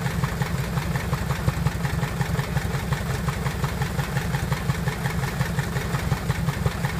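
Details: Piper Apache aircraft engine, first start after rebuild: steady, even low rumble with a regular firing pulse near three per second and no knocks or misses; a healthy idle.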